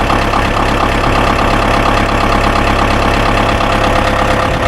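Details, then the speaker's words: Ford 2120 diesel tractor that sat for years, started without glow plugs, in neutral: steady even clatter at idle, no misses, knocks or surging, no warning lights; normal idle. "Hey, I like that. We started right up without blows. No warning lights."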